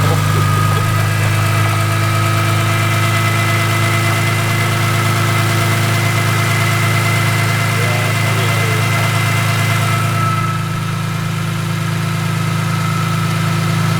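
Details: BMW E46 M3 after valve adjustment, new plugs, coils and valve cover gasket, restarted once the ratchet left on the crank pulley was removed: even, steady idle with a smooth low hum, no knocks or misses; runs normally, though a new leak appeared.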